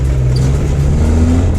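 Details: Buggy with a new Mirage 1.2-liter engine, new suspension and radiator, accelerating off-road: a strong deep drone pulling cleanly under load without bogging; a healthy engine, though a CV joint and axle bearing failed moments later.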